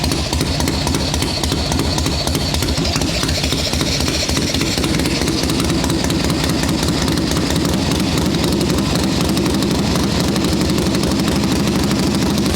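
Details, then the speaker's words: 1981 Harley XLH Sportster Ironhead chopper, first start on freshly built engine: loud, lumpy twin beat settles into an even idle with no knocking or clatter; sounds happy, though oil return flow to tank is slower than desired. "Okay. I don't want to run it too long because that's the first start on a brand new motor, but she's running. Sounds happy."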